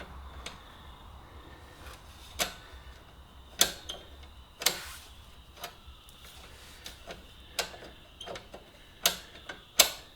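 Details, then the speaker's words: Honda CB125E rear drum brake after chain and sprocket replacement, adjuster nut over-tightened: irregular light scraping ticks as the wheel turns; shoes dragging from over-adjustment. "Now, you've gone too far if you can hear the brakes apply, because you'll actually hear them. They will start making noises like this."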